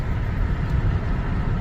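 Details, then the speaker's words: 2003 Cadillac DeVille Northstar, 169k miles, steady low idle with no stumble or periodic miss after worn ignition coils were replaced. It previously missed about every second at stoplights and was not using coolant. "okay started up fine so I'll drive it for a little bit and by now my my car would be missing every about every second when I stopped at a stop light I haven't felt it Miss"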